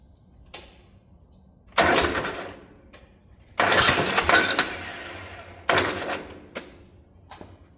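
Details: 1972 Gravely 816 tractor, Kohler Command 18 engine, holed gas tank but fuel reaching filter, pump and carb: three bursts of starter cranking, never catches; carburetor found very dirty, needs cleaning.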